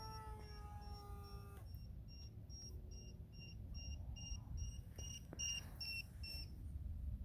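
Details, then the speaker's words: WLToys Sky-King F959S three-channel glider in flight: shrill onboard warning beep about twice a second over motor and wind; pilot suspects 2S 300mAh LiPo battery not fully charged, cause unconfirmed. "obviously that noise you're hearing is beeping I'm gonna catch this so okay my battery probably needs to be fully charged"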